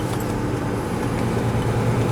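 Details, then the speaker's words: 1998 Ford Ranger XLT 4x4, 3.0 V6, 5-speed manual, 162,587 miles: steady, even low idle with no ticks, knocks or misses; sounds pretty good. "Yeah. I think it sounds pretty good. I don't know if you can hear it from inside."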